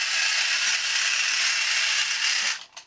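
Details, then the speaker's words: 2003 TTT China reproduction of the 1950s Radar Robot toy, two D batteries in the remote, walking: loud, high, continuous buzzing gear whir that then stops; excessive gear noise, a known problem with these. "as you can hear a lot of gear noise which is one of the problems"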